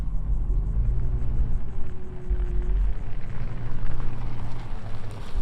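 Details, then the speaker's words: Toyota 4Runner on 1.25-inch hubcentric Spidertrax wheel spacers, creeping forward at full lock toward the driver side: only low, steady engine rumble with no tire scraping or rubbing. Slight passenger-side rub appears only in reverse. "alright so we got full lock turning driver don't hear anything"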